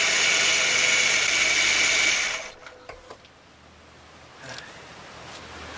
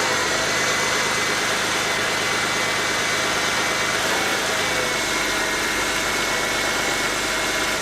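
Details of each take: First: Ford BA Falcon top idler pulley on the serpentine belt, before replacement: loud steady high-pitched whirring hiss over the running engine that stops when it shuts off; worn, dry idler pulley bearing, fixed by replacing the pulley. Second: After replacing the noisy top idler pulley on a Ford BA Falcon (without releasing belt tension), the engine idles with an even, quiet accessory drive, no chirp or bearing rumble; normal belt drive, much quieter like it should be.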